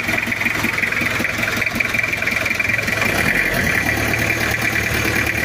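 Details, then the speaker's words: Recently bought diesel Kijang idling: busy fast metallic clatter from loose valve clearance and injection pump, plus knocking possibly from timing bearing; owner suspected valve clearance, mechanic blames injection pump. "ini ada bunyi dari celah klep longgar dan bospom yang ee kemrecek terus ada bunyi kemrotok bisa jadi dari timing bearing timing dan lainnya"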